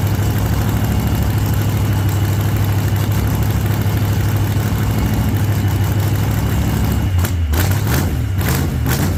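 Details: 1948 Chevy Fleetline small-block V8 (4-speed), running after sitting a while, after heavy throttle pumping: deep, steady idle with a few sharp blips near the end, firing evenly. Running fine.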